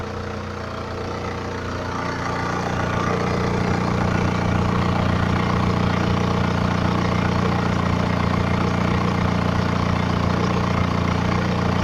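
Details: 2011 BMW 318d, N47 diesel, 178k mileage, fresh oil and belt change, cold engine at idle, phone recording: even clatter of about three to four beats a second; owner suspects timing chain rattle, not clearly separable.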